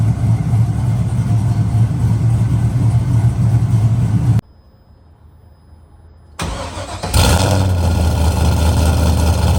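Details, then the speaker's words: LS V8-swapped Nissan S14 240SX, newly fitted exhaust with silencer: even idle, pause, then short crank and clean catch into steady low burble. Normal start and idle. "But for now, we're gonna start it with this silencer in there. See what it sounds like."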